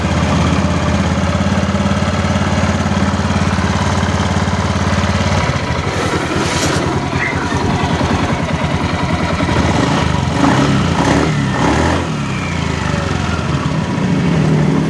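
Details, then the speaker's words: Honda Beat FI scooter after fixing rough CVT clatter at idle: steady even idle hum, then a busier rattle as revs rise with no harsh grinding; original noise gone, CVT sounds normal. "ini Alhamdulillah udah gak ada suara seperti awalnya tadi ya"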